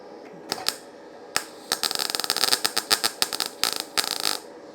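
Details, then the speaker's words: YesWelder FIRSTESS MP200 5-in-1 in MIG mode on 20-gauge sheet with a small gap, though its settings only go down to 18 gauge: uneven, irregular crackling pops instead of a steady frying hiss; erratic arc from a low voltage setting, improving as voltage is raised. "yeah that does not sound right i'm going up in voltage there's not enough wire speed it's better it's getting better"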